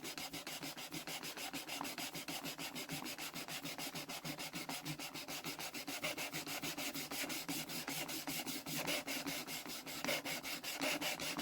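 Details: German Deutz engine cylinder head, hand-lapping a valve into its seat: light, smooth back-and-forth scraping at about a hundred strokes a minute. The lapping compound is no longer biting.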